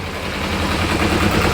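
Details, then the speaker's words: Kawasaki ZZR250 twin, first start after making new clutch basket bushes to cure low-rev clutch knock: steady low tick over with an even beat, no banging or knock underneath; repair worked, healthy idle. "Low tick over, you could hear it bang, bang, bang, bang. Nothing, not a note. It worked."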